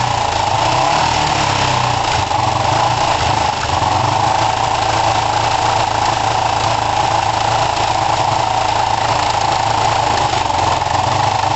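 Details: Kawasaki ER5 twin, warming up after carb float height work, with good spark and new coils: a ragged idle with spits and pops through the intake, yet the closest it has come to running well. Half throttle is poor; the owner suspects the carbs.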